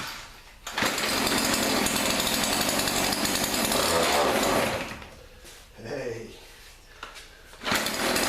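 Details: Thrift-store Weedeater PE550 edger, small two-stroke, after carburetor cleaning, air filter removed: steady high-speed buzz, settles toward idle, picks back up; runs, but only on choke and carburetor leaks fuel.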